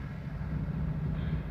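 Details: 1994 Toyota Dyna 4x4 diesel fire truck, 6,780 km, heard from outside walking toward the engine while idling: steady low diesel idle with an even unhurried beat, no knocks or misses; healthy engine.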